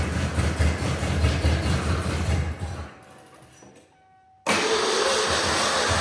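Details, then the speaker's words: Ford Bronco II engine running with no exhaust or manifolds, fuel pressure about 40 psi when cranked: it labours unevenly under throttle, cuts out, then picks up with a rough drone; runs badly, owner plans to check the distributor; no ticking. "And then I'm also going to double check tomorrow the distributor because it's running like garbage, quite frankly."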